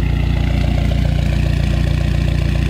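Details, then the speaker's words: Dodge SRT-4 after intake manifold gasket replacement fixed a vacuum leak: steady even idle about 950 rpm, deep regular pulse, no hiss or ticking; slight misfire remains, owner suspects fuel pump. "so there you have it let's check the idle running about 950 rpms"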